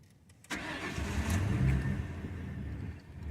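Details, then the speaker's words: 2002 Ford Crown Victoria 4.6L V8, 103K miles, cold start about 50°F: catches after cranking but settles to slow lumpy idle instead of fast idle; intermittent, idle air control valve suspected. "you should roar to life and go right on fast idle it's not doing that this is ridiculous"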